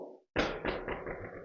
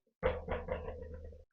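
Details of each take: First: Gravel bike drop/rattle test after fixing a long-running rattle: one dull thump from the wheel drop, then clean silence with no loose rattle. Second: Gravel bike front wheel bounced: short, rattly knocks from a small multitool loose inside the hollow thru-axle. It caused weeks of rattling while riding.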